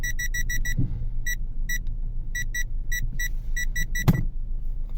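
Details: Aftermarket parking sensor, reverse gear engaged with the engine idling, after resoldering a broken wire on the right-side sensor that had beeped with no obstacle; crisp short beep groups with no stray chirps, now working properly.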